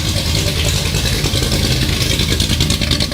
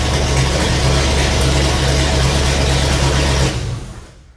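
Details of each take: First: Vintage Ford highboy truck V8 with headers, fresh main and rod bearings, and a new chambered muffler, recorded in the shop: loud, raspy rumble with a crackling edge as it revs; louder than the old muffler; owner suspects cam profile and/or headers. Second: Ford highboy truck's 428 V8 after new main and rod bearings, first start with no muffler: fires quickly and settles into a loud, even unmuffled idle, no knocks or ticks, oil pressure up to about 80; normal idle.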